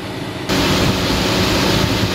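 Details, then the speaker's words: Chevrolet Orlando: the radiator cooling fan cuts in as soon as the key is turned on and keeps running steadily, taking at least a minute to stop after switch-off. The engine light stays on and won't clear. It started after a careless engine wash. Cause is unconfirmed. "you can hear the fan so this is on position even if i start the car so the engine light will stay on as well"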